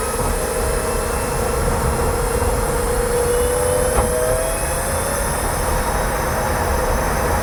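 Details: Kia e-Niro electric car after dealer service, driving: steady hiss with faint tone near 500 Hz drifting with speed over road rumble; owner calls it electric motor whine, dealer couldn't hear it, cause unclear.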